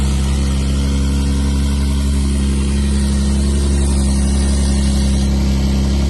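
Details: Twin-turbo swapped widebody Nissan S12 Silvia after first start in 5 years: steady even idle with deep low rumble, no knocks or misses; runs smoothly.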